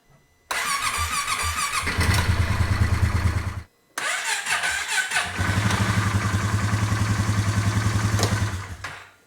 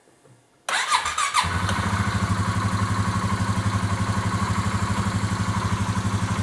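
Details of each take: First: 2018 Polaris Sportsman ACE 570 single-cylinder after full top-end rebuild with new valves and valve stem seals: loud clank as it first fires at startup, then fast uneven beat; timing chain tensioner, chain also suspected, both to be replaced. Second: 2018 Polaris Sportsman ACE 570 single-cylinder, after new timing chain and tensioner (tensioner not yet oiled), no coolant yet: quick crank, even idle around four beats a second, no startup clank, much quieter; runs clean.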